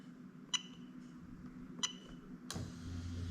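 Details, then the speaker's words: Lexus LS430 3UZ-FE VVT-i with a plug-and-play harness for an IS200, J160 6-speed manual, during a harness test: the fuel pump relay is triggered by button, giving two sharp clicks, then a steady low pump hum. Relay and pump work normally. "okay so now what i'm going to do is i'm going to push the button here and you're going to hear the relay click"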